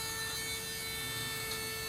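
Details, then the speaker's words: LS V8 for a BMW E46 swap project, engine off: a steady electric hum at an even pitch as the fuel pump primes normally. "Hear that thing going."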